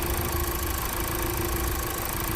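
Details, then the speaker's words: Mazda Skyactiv diesel first start after coolant-pushing repair, mechanics checking for leaks and abnormal sounds before a test drive: steady, even idle clatter with constant low hum and no irregular knocks; running smoothly. "ก็เป็นอันเรียบร้อยเสียงสตาร์ทแรกของเครื่องแก้ไขน้ำดันหน่ะตอนนี้เนี่ยเห็นมยทีมช่างเนี่ยเค้าก็นั่งเช็คหมดนะครับว่ามีอะไรรั่วซึมผิดปกติอะไรหรือเปล่าไม่ว่าจะเป็นเรื่องเสียงเรื่องของเหลวนะครับ"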